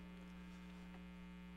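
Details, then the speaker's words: Old pinball machine; strong unchanging low electrical hum as aging filter capacitors let AC ripple through into the DC supply. "nd if you can listen to this, you can hear hum. But that's actually because this game is so old and, you know, he's got caps in it and everything, so this game probably had a louder hum."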